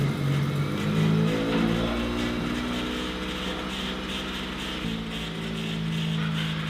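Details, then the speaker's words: 1996 Honda Civic EK coupe after fixing a ground on the valve cover and mixed-up distributor cap wires: engine catches and revs cleanly with smooth, quiet running and no misses; headers slightly smoky; normal running. "that sounds nice do thatf oh it's nice and quiet bro"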